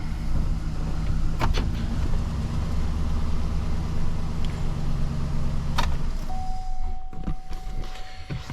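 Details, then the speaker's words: 2012 Chevy Silverado 1500 4x4 after wheel bearing replacement, rolling slowly in the shop; only low even tyre and drivetrain rumble, the screeching is gone; bearing sounds healthy. "see if we got rid of our screeching noise sounds pretty good"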